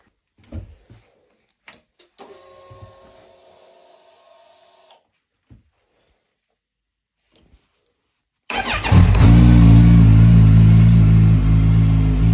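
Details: 2022 Kawasaki Z900 after no-start repair (suspected damaged ECU): a few clicks and silence, then engine catches and settles into a steady, even idle with no misses; runs fine, job done.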